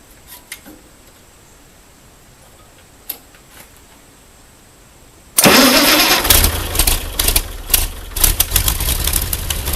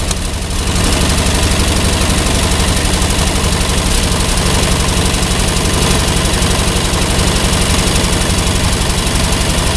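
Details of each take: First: Ford 8N tractor with a six-cylinder flathead Ford truck engine, after a new battery, fresh gas and a homemade harness, choke pulled: near silence, then it catches and settles into a busy, even idle; starts cleanly. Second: Ford 8N tractor with Ford six-cylinder flathead truck engine keeps idling steadily after the ignition switch was disconnected; a new one-wire alternator connected to the 3-wire harness backfeeds through the exciter wire, and the fix is dead-heading that wire.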